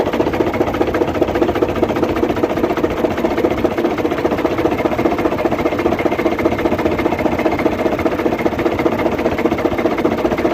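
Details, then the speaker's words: Truck diesel engine at idle: even, rapid tapping about two and a half times a second coming from inside the engine; crankshaft suspected, unconfirmed. "Engine में आवाज आ चुकी है और engine की आवाज जो है जो भी इंजन हो उसमें ऐसी आवाज आ सकती है"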